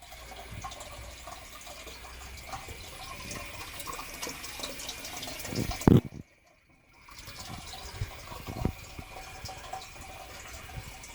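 A steady rushing, gurgling water sound runs through the boiler, like water filling or flowing fast.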